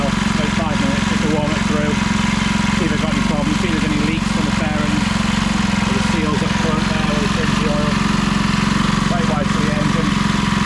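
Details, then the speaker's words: Briggs & Stratton 3hp IC Model 80212 four-stroke on a Masport rotavator after about 5 minutes of running: a steady, even single-cylinder beat with no knocks, misses or surging, and no leaks. "there we go it's been running for about 5 minutes now and we'll just shut it off there"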